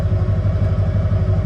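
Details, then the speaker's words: Toy hauler RV engine cranked on a nearly dead jump pack not charged in a while: quick even chugging pulses with no catch or fire; starter turns the engine over slowly because the battery is weak. "it's been a while since I charged it I don't know it is working it's pretty slow now"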